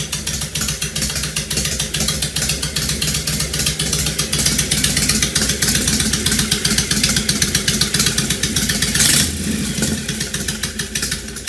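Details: 2005 Honda VTX1300 V-twin, below operating temperature, half an exhaust pipe missing: loud uneven lope with stumbling irregular firing and hunting idle; rough idle suspected from vacuum leaks or fuel issue; dies off throttle at speed.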